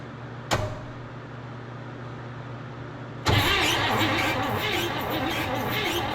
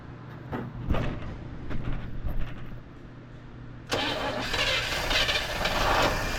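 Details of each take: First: 1958 Chevrolet Bel Air off the road since 1993, coil powered, cranking: a click, then the starter turns the engine steadily but it never fires; no spark because the ignition points are stuck closed, need sanding. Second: 1958 Chevrolet Bel Air, last on the road in 1993, catching on its first start in about 30 years, running off a gas-filled carb bowl: smooth, quiet run, no tick or knock, barely any smoke. Normal running.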